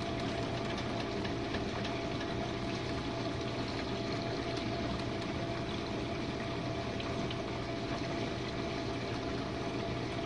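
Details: Jenn-Air dishwasher on Quick Wash cycle with no heat dry, one Cascade pod, main wash after detergent dispenser opens; earlier had low recirculation noises from suds. Smooth constant pump hum, steady spray and swish, no grinding or rattling. Normal wash pump.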